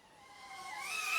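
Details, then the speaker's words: Sub250 DollyFly25 V2 2.5-inch cinewhoop, pre-release unit on the latest PID tune, acro flight: high motor whine climbing with throttle, mostly clean, with occasional small jumps; motors running normally. "it's quite clean, but you can hear jumps here and there sometimes."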